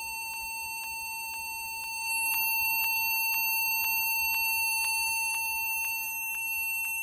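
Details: Acer desktop computer at power-on emits a continuous high beep with faint pulses about twice a second.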